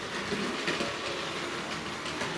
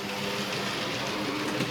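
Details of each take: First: Hornby 0-4-0 model locomotive, not very powerful, pulling its train around the track and through a tunnel; steady rushing rattle with light rhythmic track clicking, running smoothly. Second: Small Hornby 0-4-0 model locomotive pulling too many wagons: busy whirring motor, rattling wheel clatter and a labouring tone; the underpowered loco struggles under the load.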